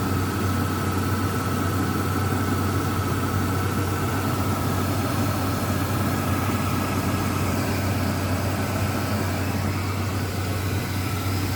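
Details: Ford Ranger with a loud power steering pump, before adding a friction-reducer additive: steady thin whine at one pitch over an even idle.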